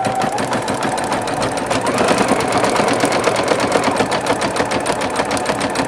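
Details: Singer Futura XL 550 sewing machine after the bobbin-area rattle fix: quick, even needle clatter at steady pace with no bobbin rattle; smooth, healthy stitching.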